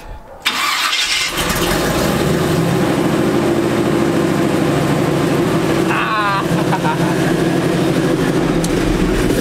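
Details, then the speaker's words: Chevy C10 truck, cold start on a freezing day after fixing shorted close-together connections: quick crank, catches at once, settles into smooth steady idle without misses; problem fixed. "This is cold. It's just because it's freezing cold out here, that's why. But it's fixed."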